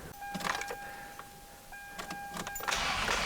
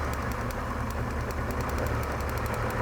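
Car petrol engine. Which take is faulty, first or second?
second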